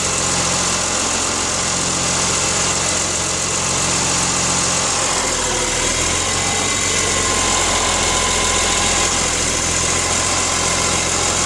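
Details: BMW S54 inline-six engine idling with harsh metallic rattle and grinding over steady hum, cause unknown.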